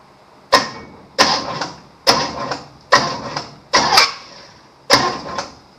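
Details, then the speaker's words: 1953 Chevrolet Bel Air rat rod, small block Chevy V8, plug removed and finger over the hole while bumping the starter to find the compression stroke: six short sharp puffs, a normal compression whoosh. "You heard that big old whoosh? That is on the compression stroke."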